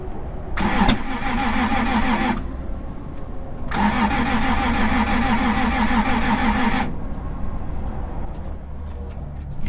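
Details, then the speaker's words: 1996 Toyota Tacoma 3.4 that won't start after lying on its side: two long bursts of steady cranking, about three turns a second, with one pop and no catch. There is spark and compression sounds good; owner suspects the timing belt jumped a tooth. "I mean, it sounds like it's in time though. Like, it sounds like it's making good compression. I guess it could be like a tooth off or something. Like maybe the belt jumped."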